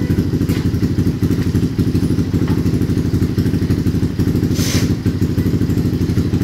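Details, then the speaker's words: CRF with newly installed BRT 4-valve head, throttle body fitted, first start before ECU tuning, idling to circulate oil; even, quick thumping with no ticks or knocks; normal idle. "dan untuk suara mesin halus Ya teman-teman seperti CRF yang biasanya kita garap oke seperti ini kita dengarkan dulu ini ee sekalian melancarkan sirkulasi oli"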